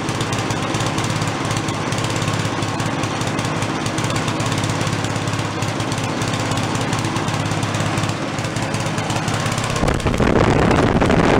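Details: Giant Vac walk-behind leaf blower, guessed to be late-1970s/early-1980s, bought worn from a garage sale, primed from a bottle: loud, steady high-revving two-stroke buzz held wide open, even and unbroken; normal full-throttle running. It has no idle circuit.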